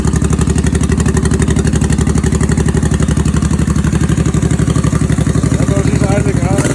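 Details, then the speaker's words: 1989 Honda Shadow VT1100C bobber with an open air filter intake, idling: deep, even V-twin thump, about four beats a second, with no knocks or misses; running healthy. "looks good sounds good"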